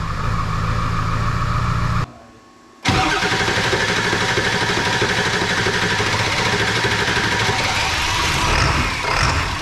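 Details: 2002 7.3 Powerstroke diesel, tune not yet refined (HP Tuners), glow plugs cycled, about 60°F: short crank, brief pause, then it catches into a rough but steady clatter. A normal cold start.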